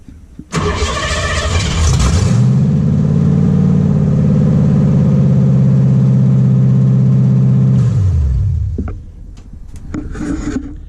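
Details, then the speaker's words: 1959 Ford Ranch Wagon (Ectomobile build), ex-demolition-derby engine on temporary test wiring, first start with ignition switch after the fuel pump runs: brief crank, catches within about a second, steady even idle, clean shutoff; it all works. "and that's it it all works"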